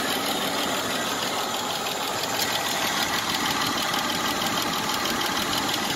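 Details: 1996 Isuzu Trooper at idle with fast, light ticking about three per second after 50 miles with Seafoam in the engine oil; less sharp than before Seafoam but still there. Suspected lifter or valve lash noise.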